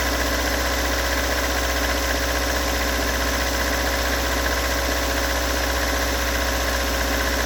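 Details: Toyota AE86 with stock bigport blue-top 4AGE, about 195,000 km, regularly maintained: cold idle lumpy and uneven with dull knocking under engine note; recorded from cold to warm at exhaust, cabin and engine bay; cause not located.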